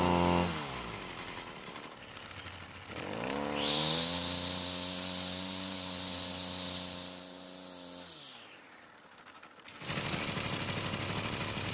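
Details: Six-year-old Stihl two-stroke trimmer on ethanol-free gasoline and quality two-stroke oil: starts, idles unevenly, revs to a high scream and sags back; runs rough, cause unknown.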